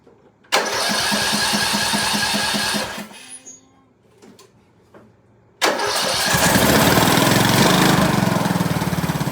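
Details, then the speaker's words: 2003 Craftsman LT2000, 18.5 hp Briggs & Stratton Intech, first start after adding gas and putting the plug in: fires instantly, runs evenly, restarts straight away to a steady beat; runs well, needs an air filter and oil change. "That thing runs really good, man. Get guys up close. Fire her up again. No choke. These old Briggs and Strattons, you can't beat them."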